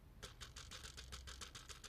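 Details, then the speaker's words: AliExpress dashcam bought for under 1 €, held close after road tests: fast, light, regular tinny rattle about six ticks a second, like a small loose part inside the camera; cause suspected, not confirmed, teardown planned. "Vous entendez ce petit bruit là? Et ça, avec les vibrations de la voiture, et ben en fait, c'est ça qu'on entend sur le premier jet de la vidéo."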